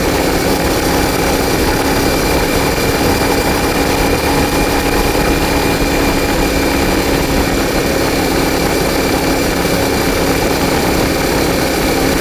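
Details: CFMOTO Ibex 450 after an ECU tune, which previously surged and jerked at 3500–5500 rpm: steady, even engine drone under riding load with wind rush, no surging or stumbling; pulls smoothly.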